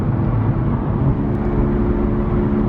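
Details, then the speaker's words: Honda Civic driving. Above roughly 33 mph a steady low hum drones under the road noise; one wheel bearing is believed shot: wheel bearing hum. "I hear one of the wheel bearings it is shot roughly after 33 miles per hour it starts humming and I don't know if you guys will hear it through the video or not but I definitely hear it"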